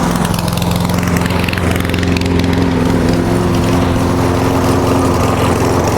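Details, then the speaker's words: Walk-behind single-cylinder lawn mower after winter storage, warm after about 10 minutes idling: steady, even idle with smooth beat, no surging or sputter; fuel-related starting problem resolved. "Alright, now I've been letting it idle for about 10 minutes now."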